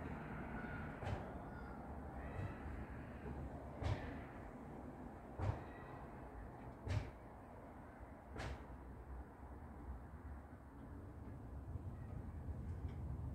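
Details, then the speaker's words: 1958 AMC Rambler Super after distributor work; steady low cranking churn with a few soft irregular puffs but no catch, spark present at the plug; owner suspects he damaged something inside the distributor, unconfirmed. "i just tried it out and it made a really interesting noise i've never heard the engine ever make that noise"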